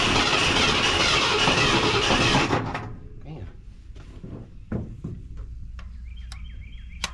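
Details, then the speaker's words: Wrecked 1974 Ford F100 parked for years, first start, fuel pump working: runs rough and loud a couple of seconds, then cuts out leaving only clicks; owner thinks it is running out of fuel. "Looking like it's running out of fuel."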